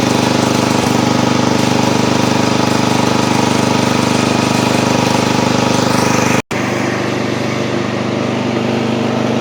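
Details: Old Montgomery Ward Power Kraft garden tractor, first start after cleaning, oil full, choke on. The single-cylinder engine barks a steady, fast, even beat at full throttle and runs cleanly without dying; it stutters later while driving.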